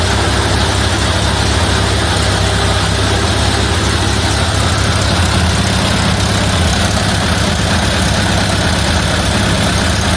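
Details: 1931 Ford Model A Victoria four-cylinder after in-frame tappet and cam replacement for a broken valve lifter; low steady even chuff at idle, no ticks or knocks, sounds as before; carburetor still to adjust, timing unchanged; repair successful.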